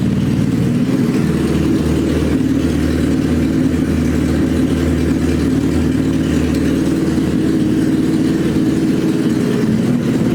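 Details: Suzuki Hayabusa GSX1300R after a wreck, newly fitted main fuel injectors, running with no exhaust: loud raw bark settling to a steady even idle with smooth revs, all cylinders firing cleanly.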